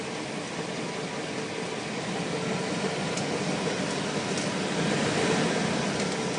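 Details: 2000 Cadillac Escalade with about 175,000 miles, rapid light clicking about four a second while driving slowly. The transfer case had been found dry, was refilled with gear oil, and the entire transfer case was ultimately replaced.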